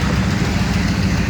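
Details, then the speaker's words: 1978 Chevrolet C10 pickup with a 307 V8 out of a 1971 Nova and a 350 turbo transmission: low, even idle with a steady rumble, no knocks or ticks; runs quiet and good, not fast. "it's a 307 with a 350 turbo and it runs good I mean it's just to know it's out of a 71 Nova the 307 is but you can hear it's pretty quiet I mean it it runs good it's not a speed demon"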